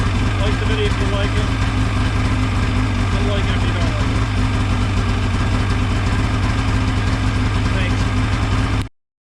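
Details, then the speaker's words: Ski-Doo 550F two-stroke snowmobile engine at idle after cylinder reassembly, a repair for two broken cylinder studs, then shut off. The drone is even and low, with no knocking or ticking, and sounds healthy. "Let's give her a shot. That was a success. Sounds good."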